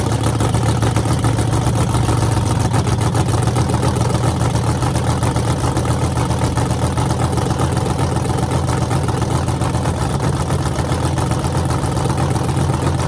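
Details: Freshly rebuilt small block Chevy 350 (355) on a run stand, restarted, open headers, temps about 107 front, 76 back, plenum 69°: loud, deep, even rumble with steady lumpy beat, no knocking or ticking; healthy.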